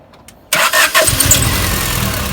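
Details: 1992 Honda Prelude after new oil pump, timing belt and water pump: quick crank, clean catch and smooth even idle with no knocks or rattles, running normally.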